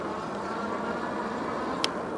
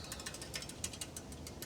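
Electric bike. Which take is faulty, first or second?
second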